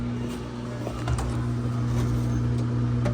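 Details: GE stacked washer/dryer GUD27ESSM1WW in diagnostic mode, drain pump test (step 11): steady low electric hum at one even pitch, no grinding or rattle; drain pump running normally.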